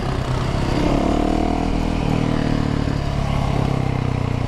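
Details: Dirt bike, either a 2016 YZ450FX or a 2017 Z125, while riding. It stumbles unevenly with wavering revs and popping instead of a steady beat; the cause is unconfirmed.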